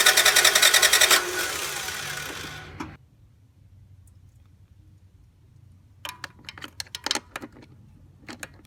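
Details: 1996-2001 Toyota Camry 5S-FE 2.2 L four-cylinder that shut off while driving; starter spins fast and evenly, engine turning over easily with no compression strokes and no firing; timing belt suspected, not confirmed.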